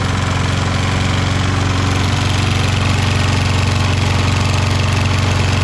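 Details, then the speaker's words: Toro Recycler mower, Kohler XT675 single-cylinder, after valve lash adjustment, overfilled oil drained (smoking cured), PCV and carb cleaned, front bumper bent back and siliconed: steady even putter, no loose vibration rattle; runs smooth and healthy. "put some silicone in between there, and now it doesn't make that vibration noise."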